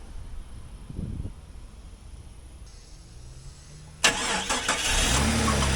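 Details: 2001 Jeep Cherokee XJ 4x4 after radiator, water pump and electric fan replacement: quiet, then it catches and settles into a steady, even idle with no misses, knocks or rattles; no leaks seen.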